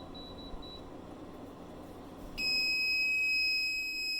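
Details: 1500 W inverter on four Panasonic 36V ES200G scooter packs running a 5000 BTU window AC: quiet room hum, then continuous shrill beep holds steady; inverter alarm, owner suspects low-voltage alarm and shutoff, not confirmed.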